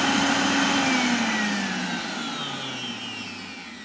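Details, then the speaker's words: Miele Revolution 5000 vacuum after repair: smooth, steady motor whine gliding down in pitch as it winds off, with no rattles or grinding. Running healthy. "So I can make one really good hose out of these two. And I've got a perfectly functioning vacuum."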